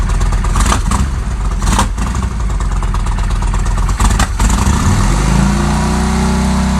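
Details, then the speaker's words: 1998 Kawasaki Vulcan 1500 Classic V-twin after case and needle bearing replacement, reassembled: revs blip up then drop to an even, lumpy idle with no knocks or rattles; normal running. "all right quick update on the vulcan everything's back together working good"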